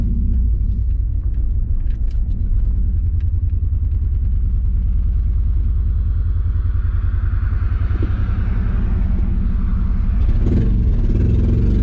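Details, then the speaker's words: Honda Accord CD7 with freshly swapped H22 engine: lumpy, uneven low rumble with irregular beats, not running right and stalling; misfire because the distributor firing order was wrong, later corrected. "Stalled out. Something ain't right. It's not running good. Dude. Butter! Dude. So we had the firing order wrong on the distributor."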